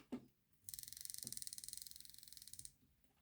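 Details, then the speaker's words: Hornby R2857 Class 5MT model locomotive after reassembly: fast, even high-pitched ticking, about seventeen per second, while running; a pickup possibly hitting the wheel spokes suspected, needs adjusting. "oh I don't like that noise well it moves it's making a horrible noise"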